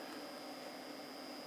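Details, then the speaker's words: Small cooling fan added to a pre-amp, run on 9 volts: steady airy whoosh with a fixed high tone and slightly hollow sound, no rattle or ticking, no louder than an amplifier; the fan runs fine with good airflow. "it's not extremely loud no louder than any amplifier you can hear the hollowness in it"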